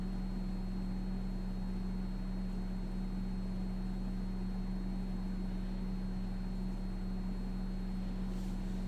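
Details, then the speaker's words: Home air conditioner just switched on, 82°F outside: steady low hum with a thin constant high-pitched whine riding above it. "can you guys hear that just like this high pitched wine can you hear the high-pitched wine"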